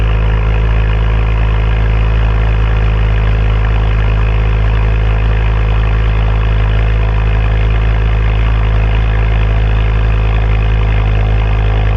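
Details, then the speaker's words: Ford Focus XR5 Turbo after a misfire repair with new coil packs and RS spark plugs, codes cleared: deep, steady idle with an even low thrum and no skips or stumbles; normal idle. "Sounds much much better. Woo! Yeah, baby. That's what I've been waiting for."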